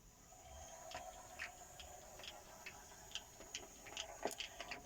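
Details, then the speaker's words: Hornby 3F Jinty 0-6-0 model locomotive, serviced and converted from DCC back to DC, running on the track: a faint, steady motor whir with light, irregular wheel clicks. Smooth, quiet, normal running. "There's basically a slight whir of the motor and a bit of wheel noise, and that's about it. Yeah, it seems to be really smooth and controllable."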